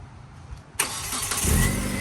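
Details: 2007 Hyundai Tiburon GS automatic, first start after cylinder head repair, with a replacement manifold/catalytic converter and new O2 sensors: a brief crank, then it fires cleanly and settles into an even idle with no misses, knocks or rattles.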